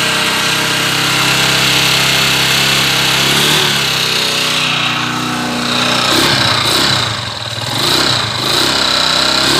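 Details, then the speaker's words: Honda TMX 155 motorcycle stored over a year for a noisy engine, before repair: loud metallic clatter and a steady knock about four times a second from a worn connecting rod. "yung isa sa maingay na parte sa makina ay si pareng Mandy Mechanic on board si po yung magal ng connecting rod natin"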